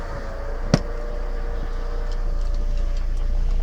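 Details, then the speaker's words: VW Golf after CV joint repair, driven in a tight circle on wet pavement at night, same test repeated: steady engine and rolling drone with one thump but no repeating clicks; CV joint sounds normal. "Ó, a diferença agora. Olha a diferença que tá dando agora, ó."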